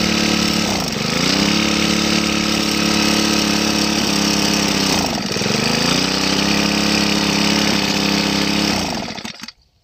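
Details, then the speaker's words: Two-stroke grass trimmer run until its tank was empty, then refilled: high steady revs sag twice as it starves, then cut out dead. It stalls on throttle from air in the fuel line. "เราเร่งไปมันดับนะครับเพราะว่ามันมีอากาศในระบบมันนะครับมันก็จะทำให้ให้ช่วงที่มีอากาศมันก็จะไม่น้ำมันก็จะไม่จ่ายเข้าก็เล็กไม่ขึ้นนะครับ"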